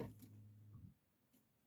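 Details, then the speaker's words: Older Renault Kangoo that cranks but won't start after a frosty morning, battery tested full; key on gives a faint steady low hum for about a second from the rear, the fuel pump priming normally. "that what you heard or may not have heard was a noise coming from the back that was like a and that noise says that the pump the the fuel pump is working."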